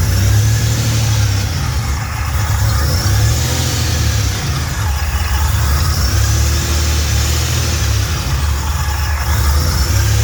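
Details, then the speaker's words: Fully built 3800 V6 race engine on its first start after the build: strong, even low exhaust note rising and falling smoothly with throttle, no knocks, ticks or misses, no leaks; normal revving. "yeah my um fully built race engine uh it's complete um first started was a complete success"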